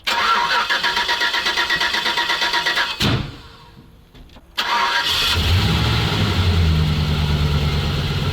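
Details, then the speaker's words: ZIL truck engine cranks and catches rough, a sharp muffler pop drops it near silent, then refires into uneven lumpy idle; backfire on start, owner suspects pressure dropping from a faulty pressure regulator, unconfirmed. "как стрельнул глушитель Ну вот что-то ему не хватает давление сходит видимо вот некорректно работает"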